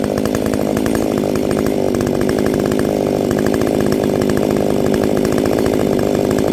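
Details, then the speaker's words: Ported Echo 670 chainsaw, first time cutting wood after porting, tune only roughly set: a steady high-revving two-stroke buzz holds even through the cut without bogging or surging. Normal running under load. "I fired it up. Sounds good. Feels good. This will be the first time putting it in the wood."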